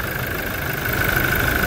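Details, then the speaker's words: Toyota Innova 1GD diesel, towed in because it would not start and previously fired with white smoke, now starting on one crank: steady, even idle hum with no misses or knocks; normal idle. "Ayun na. Smooth. One click. Allr one click siya mga sir."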